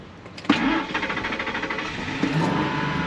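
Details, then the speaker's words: Truck with a hard start and no trouble codes, fuel pressure monitored on live data: catches with a sharp burst, stumbles and stalls, then restarts with throttle and settles unevenly; a second later starts normally. Fuel pressure and regulator appear fine, cause unknown. "gave it gas and it started. So, we're going to have to figure out why. And now a second [Music] later, starts up normal."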